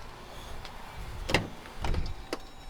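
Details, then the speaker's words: 2014–2022 Jeep Grand Cherokee with 7443 switchback LED turn signal bulbs: even, soft relay clicks about every two-thirds of a second, a normal flash rate. The hyperflash stopped after the bulb, installed the wrong way, was flipped 180 degrees. "And it's not hyperflashing anymore. It's perfectly fine."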